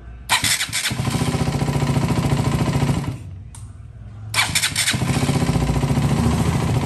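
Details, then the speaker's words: KTM Duke 200 after a new starter motor and thicker ground and positive cables: starter spins briefly and the single fires straight into an even, steady idle, twice over; normal start. "le pusimos cables mucho más gruesos para que los electrones tuvieran un libre flujo. Y acá vemos cómo prende."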